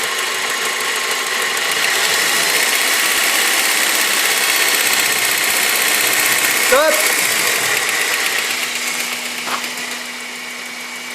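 At a steady idle a fast, regular ticking of about four beats a second rides over the hum; the source is unclear.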